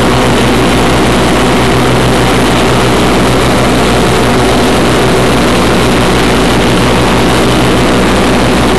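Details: 1991 Craftsman GT6000, 20 hp Onan, first mow after deck lift eyelet bolt welded: steady, even drone with blades cutting, no surging, knocking or dips under load; normal mowing under load.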